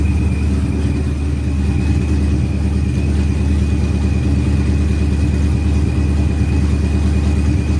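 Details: Procharged Ford Coyote V8 first start, good oil pressure, fuel pressure up: steady, even low rumble at settled idle with no knocks, ticks or misses; normal idle.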